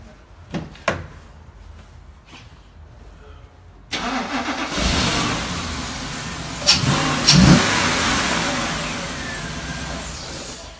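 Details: C7 Audi RS6 with no fault codes, traced to the coils' earth; with a temporary earth lead slaved to the coils it cranks, catches cleanly and revs smoothly with no stumble. Fault fixed.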